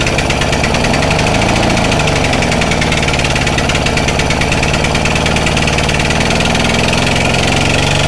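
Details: Stihl Magnum BR800 two-stroke blower at full throttle with choke off, after the high-speed needle is turned in slightly: loud, steady, high-rev scream, even, with no surging or sputtering. Running normally.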